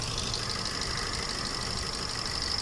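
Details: Car showing check engine light and code P0304 (cylinder 4 misfire), new coil fitted but same fault; uneven stumbling idle with occasional dropped firing; mechanic says coil gets current but no ground, suspects ECU box.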